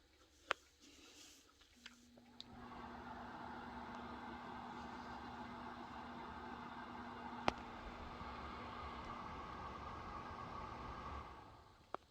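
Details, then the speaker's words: Lasko tower heater between heat cycles: a soft click, then a steady, even fan whoosh with a low hum for about nine seconds before winding down. Normal fan-only run. "and there's the fan that i was talking about right as i was done talking there"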